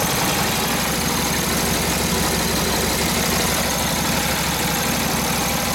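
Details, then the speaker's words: Harley WL 45ci flathead V-twin, 1939-40 3-speed, 16" star hub drum brake: near full throttle with brake buried, steady even exhaust beat, no misses or knocks; took the load, normal running, after fixing a bad fender ground. "yeah yeah that was about almost full throttle there the brake on yep had the brake buried in still Full Throttle till it it loaded up took the load so yeah a good sign"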